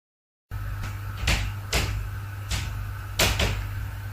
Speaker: um so dynamic live loads like people walking across the floor system can create not only creaking sounds but also snapping and popping sounds and here's a recording of what that might sound